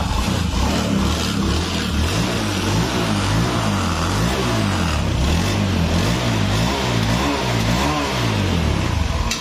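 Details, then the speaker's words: 2019 Honda Beat Street with smoke from the exhaust, oil loss and engine noise, after new valve seals: smooth revs with no rattle or misfire, smoke gone; the engine noise had come from the cam chain tensioner. "oke Ini udah sembuh teman-teman udah enggak ngebul nah nah untuk di bagian mesinnya udah enggak berisik lagi"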